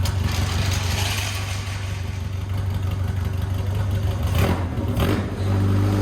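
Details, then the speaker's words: 1990 Lotus 7 clone Birkin S3, off the road five years, just after the stuck clutch broke free from the flywheel: even low engine drone with a couple of revs as it drives off under its own power, no clunks or slipping; runs normally. "look at that moves under its own own power first time in five years"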